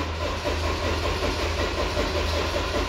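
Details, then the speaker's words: Ford Transit Mk6/7 with dash lights on: steady, slowish starter cranking at about 2.5 turns per second that never fires. Mimics a starter, battery or wiring fault but is caused by the ignition switch's rear electronic contact. "if we just try to start it you can see it's just winding over and it's not firing"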